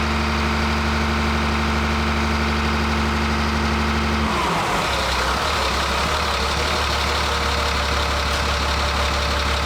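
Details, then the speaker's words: Ford F350 with a swapped-in CAT diesel, first start after fitting a new fuel pump with the FASS unplugged: steady diesel idle, then the beat breaks up and the speed hunts unevenly; surging from fuel starvation. "So it's funny because it started right up, so it's got fuel pressure in it still, and then that's when that surging started, was when that fuel caught up where it was kind of starving, but"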